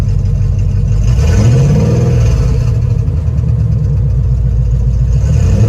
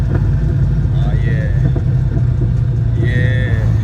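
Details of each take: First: 1967 Plymouth Valiant revving twice and returning to idle: uneven puffing pulses under a loud low rumble; owner suspected timing chain or header leak, shops suggested exhaust leak or spark; abnormal engine noise, cause unconfirmed. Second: 1967 Plymouth Valiant, carbureted (no EFI): after realigning the carburetor gasket, refitting the air cleaner, tuning the idle mixture screws and adjusting fuel pressure, a deep, even engine note with no stumbles or misses; runs smooth and steady.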